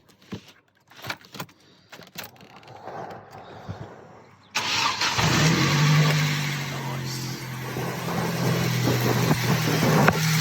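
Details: Mk1 Ford Focus after cambelt change and a new 1,525 mm auxiliary belt fitted, AC compressor and radiator removed: cranks, catches, settles into smooth steady idle with even low hum, no knocks.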